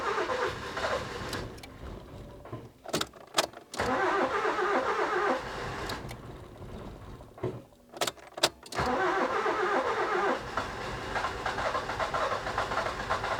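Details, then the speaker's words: Nissan Micra K11 1.0 after replacing suspected faulty ignition module for crank-no-start: broken cranking bursts, then it catches slowly and keeps running, taking revs; hard start owner blames overfueling from repeated start attempts, oil to be checked for petrol. "Yep, it fired up. It really had a hard time firing up. And I think that's because it's been started so many times that it's been completely overfueled."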